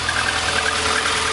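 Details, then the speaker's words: 1999 VAZ 21099, about 200,000 km, engine rebuilt at 170,000, after alternator refitted and tightened: even idle with light steady hum, no whistle or sparking from alternator; fault likely poor alternator-to-engine ground contact. "но вроде свистеть не свистит"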